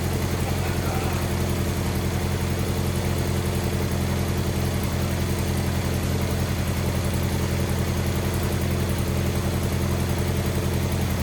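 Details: Wheel Horse 520H garden tractor pulled from a tree row, running on fresh gas from a can: small single holds a steady, regular idle with an even low thump and no stumbles; running normally.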